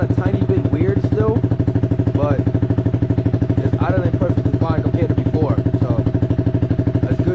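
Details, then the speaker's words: 2012 Honda CBR250R single after tank cleaning and fuel pump replacement, started in neutral the next day: pump priming, then loud, quick exhaust pulses at a steady idle, slightly uneven, warming up; normal idle. "okay it's making all the noises you want to hear the fuel pump priming and everything go let's go the idol does sound"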